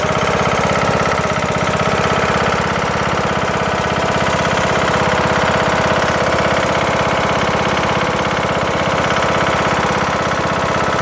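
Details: Craftsman LT2000 mower with Briggs & Stratton single-cylinder engine, after replacing a broken camshaft and timing gear, cover off: loud steady knocking about three per second, plus power loss and sluggishness in thick grass; owner suspects something hitting, cause unknown.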